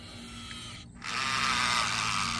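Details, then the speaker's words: Huina 1583 RC front-end loader after fixing loose pinion in front drive motor gearbox: small motor whirs into a loud, buzzy, gritty gear whine; front wheels now work despite the noisy gearbox. "he we got we got a loud gear noise going on but they are working and that's the important part"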